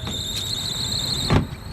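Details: Trane rooftop AC unit with no cooling, running after resetting the tripped 3 amp transformer fuse: a loud, steady, high-pitched squeal over the blower, then it cuts off with a thump. Slipping blower belt that needs replacing.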